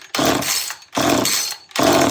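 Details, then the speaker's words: Old Homelite automatic chainsaw with limiter-capped carb: plenty of compression but three short bursts each catching about half a second then dying; won't stay running, cause unconfirmed. "Plenty of compression. Sounds like it's trying."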